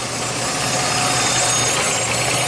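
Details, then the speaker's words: 2006 Jeep Liberty, transmission removed three times and torque converter replaced: after about four minutes of running, a faint high-pitched whine over the idle grows louder as the transmission warms. Owner points to the pump or torque converter area. Transmission whine. "should hear the slight noise high-pitched whine now remember the torque converter is right here and the pump is right there"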